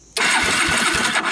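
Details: 1999 Suzuki Quad Runner 160 ATV after wiring a push-button starter solenoid switch; starter catches sharply and spins the engine briskly with even, regular compression chug, healthy cranking.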